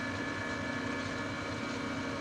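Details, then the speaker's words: New Precision Matthews PM-1660TL lathe, first run, headstock in medium range gear 2 at 180 rpm: smooth quiet even gear whir with faint steady high tone, no knocks or grinding; normal running. "all right let's try two 180 nice very nice nice and smooth and quiet"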